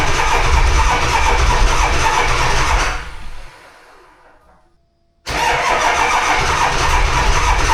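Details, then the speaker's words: Diesel dually truck in 18°F cold: heavy, slow cranking about four beats a second that dies away and catches again; starter on its way out, only about three glow plugs working, batteries flat. "Well, there's three things this girl badly needs. Starter is on its way out. About three of the glow plugs work. And her batteries are shut."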